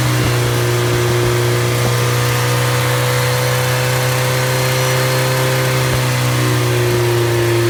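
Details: Completely rebuilt MG Midget 1500 engine (~1978-79), bored 0.020 over, flat-top pistons, 270 cam, 9.5:1 compression, run-tested with no muffler: loud steady low drone, even firing, no knocks or rattles; running cleanly.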